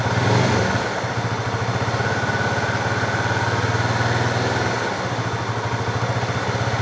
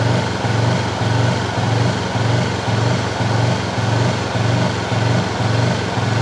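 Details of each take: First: Fuel-injected Honda CB motorcycle with a hesitation (brebet) problem. The diagnosis found the TPS reading not rising with throttle, so the ECU misread. The engine runs evenly with a smooth, clean rev rise and no stumble or misfire: normal throttle response. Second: Honda CB fuel-injected motorcycle that is not cured after five services: at light steady throttle, revs swell and sag about twice a second instead of holding steady, with surging and misfiring.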